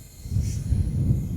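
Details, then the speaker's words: John Deere 624K wheel loader spraying coolant from exhaust; removed EGR cooler plugged and pressurized with air: low irregular gurgling pops, air bubbling inside cooler; EGR cooler internal leak, engine not blown. "Yeah, there it is bubbling inside the cooler."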